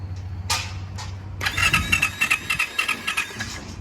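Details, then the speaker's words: 2021/2022 Yamaha YZ450F that won't start, reported no compression; quick, even cranking about 3.5 turns per second that never fires; valve or piston problem suspected, not confirmed. "yeah see that's that's that's a valve or a piston that's a valve or a piston easy you"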